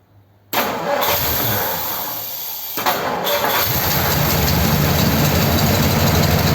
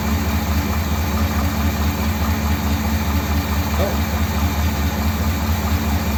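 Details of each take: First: 1957 Ford Thunderbird with an original-type carburettor and float reinstated: catches into a lumpy, heavy, uneven idle. Running massively rich as fuel pours out the carburettor side; float level is suspected too high. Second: 1957 Ford Thunderbird with the original carburettor, only a tiny amount of fuel seeping from engine shake: steady, even low V8 burble with no misses. Normal idle.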